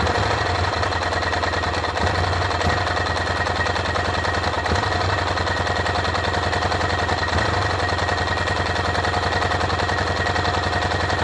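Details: Motorcycle engine stumbling with uneven rapid popping about three beats a second and irregular gaps over a constant drone, with no engine warning light on; rough running, misfire.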